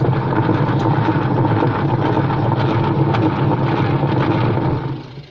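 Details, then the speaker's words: Sanken TW-1122GX twin-tub washing machine, wash side only, loud uneven rattling grind that worsens with heavier loads, fading as the motor stops; spin dryer side has no problem; worn gearbox. "apalagi kalau kasih beban berat jadi suaranya seperti itu kalau dikasih beban berat apalagi dia semakin Ho gaduh suaranya untuk mencuci"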